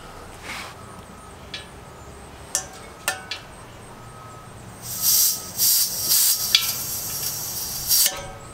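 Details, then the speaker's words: 1 lb propane cylinder refill, relief valve cracked with hemostats: short sharp hissing bursts ending in wet spitting as liquid comes out, showing the cylinder is full. "that last little purge that i did a little bit of that liquid came out so we're good"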